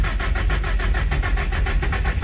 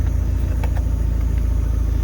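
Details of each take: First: Nissan SR engine after rebuild with new rod and main bearings, low oil pressure shown: steady cranking at about four strokes a second with no firing; ignition timing suspected far out, possibly cam 180 degrees off. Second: Engine on a Speeduino EFI after its badly off ignition timing was corrected, not yet fully warm: smooth, even idle with a steady low rumble, no misses, knocks or hunting. Fuel pressure is good and oil pressure matches the mechanical gauge.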